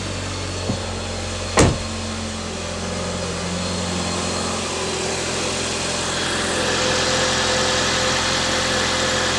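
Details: Jeep Patriot just after installing a rebuilt alternator and belt, battery under 12 volts before start: even, steady idle with no howl or whine from the engine front, light hiss later, now charging; normal idle.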